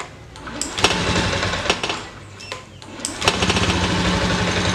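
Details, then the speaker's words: Honda Beat FI (fuel-injected scooter, year unknown) hard to start: ragged, sputtering run that surges and sags, won't hold idle and dies when throttled; fault traced to the fuel injector, fuel pump normal. "itu mau mati terus gak mau langsam gak mau naik gas digas malah mati"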